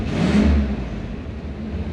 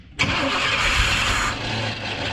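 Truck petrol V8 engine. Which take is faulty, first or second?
second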